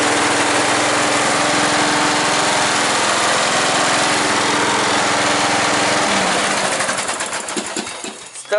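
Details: John Deere Sabre lawn mower after the spark plug was replaced with a new plug, fuel turned on and choke used: the small engine catches, then settles into a steady, even putter with no misfire or knock; it runs healthy, then fades out.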